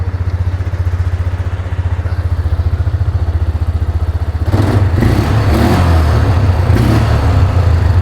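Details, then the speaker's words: Used ATV bought as a runner, now running after the fuel pump was confirmed working: an even single-cylinder thump at about 220 beats a minute that picks up cleanly under light throttle, no knocks; engine sounds good. "God, that motor sounds good too."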